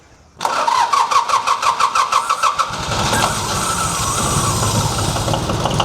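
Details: Old John Deere tractor, oil pressure gauge refitted: slow even cranking about three beats a second catches near three seconds into steady idle, cold oil pressure 60–80 (about 70) psi; normal cold start.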